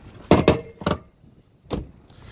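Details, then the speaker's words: 2013 GMC 2500, pre-purchase inspection, driver's door swung open and closed: a couple of sharp clunks and a catch, then a thud; hinge binding, possibly bent or out of alignment or needing lubrication. "could hear that it does get stuck let's do that again for you so hinge there's definitely an issue with that hinge there"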